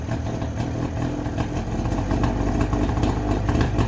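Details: Two-stroke Subaru 360 just started in neutral: an uneven, popping idle with a steady low burble and no knocks or misses, hardly smoking; normal, healthy two-stroke idle.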